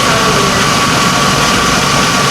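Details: 2004 Chevy Avalanche 5.3 V8 after engine work, first start: steady, even idle with no misses, knocks, ticks or hunting. Normal idle.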